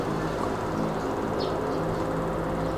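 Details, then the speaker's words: Electric fan after repair: its plastic gearbox was replaced with a metal one. While oscillating left and right it gives a steady, even motor hum with a faint buzz, and the earlier knocking is gone; normal. "Ayan okay nawala po yung lagatok humarap na sa kanan continuous yung pags niya wala tayong narinig na ingay"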